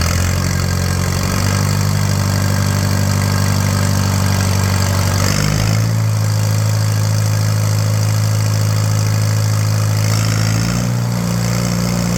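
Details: 1941 Case SC tractor, first run: slow, lazy, slightly uneven low rumble; carburetor only halfway adjusted, idle set too low, fuel tank shaking loose.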